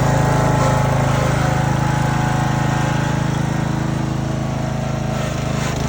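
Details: Husqvarna residential zero-turn mower (Z4819/Z4219) with 20 hp Briggs & Stratton engine, long neglected, milky oil, idling: even fast light ticking over single-cylinder drone; suspected valve tick from excessive valve lash, adjustment planned.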